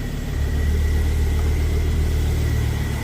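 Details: Ford Focus ST225 low idle just after start following oil filter housing replacement (failed breather seal; idle had hunted): smooth, even, steady rhythm, no knocks or ticks; oil pressure good, no leaks; healthy.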